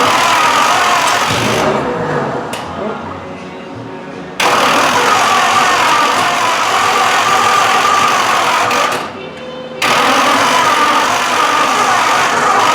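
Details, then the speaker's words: Chopped 1950 Ford Shoebox sat 20+ years, first start on a 12 V battery with only the carb bowl filled: cranking catches into ragged, loud sputtering bursts that die off, then fire again. Fuel starvation; electric pump planned. "I got an electric fuel pump around here I can hook up and just force gas through the carb"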